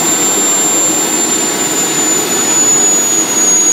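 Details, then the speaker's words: 5-inch gauge model gas turbine locomotive (single-stage centrifugal compressor, axial turbine, vaporizing combustor) on kerosene, start motor dropped out: steady high-pitched whine over an even rushing roar, running by itself up to idle; normal run-up. "it's now running by itself going up to idle"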